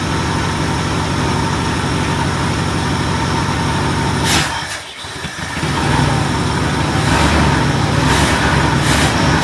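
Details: Ford LTD on a new $80 eBay 2150 Ford carburetor, screws not adjusted, replacing a carb that leaked gas; catches and settles into a smooth, even idle, no misses or knocks, purrs like a kitten. Normal start and idle.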